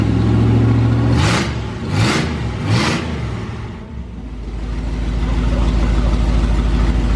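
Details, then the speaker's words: 440 big block from a motorhome in a 1970 Plymouth Duster, after sitting six months to a year: a loud, deep idle with three quick blips that rise and fall cleanly, then settles evenly. It fired first try and sounds healthy. "I think it's a beast it is so loud I don't know what it sounds like on camera guys but this thing is a monster let's give her one more little Rev"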